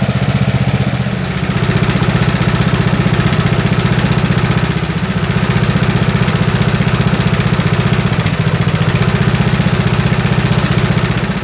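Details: Snapper SR-Series mower with 10HP Briggs & Stratton single-cylinder engine, stored 10 years, on an Amazon aftermarket carburetor with a 30-thousandths jet, full choke: steady idle thump with odd uneven beats and slight sag; missing, not backfiring; needs tuning.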